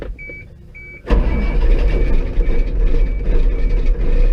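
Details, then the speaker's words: Bucket truck with a Caterpillar 3116 diesel, cold start in northeast winter with the block heater unplugged overnight, after recent maintenance: warning chimes, a quick crank, and it catches at once into a rough but steady cold idle. Oil pressure comes up. Normal cold start. "For the fact that this even starts, I got to be honest, it turns over like that, I got to be honest, I'm kind of impressed."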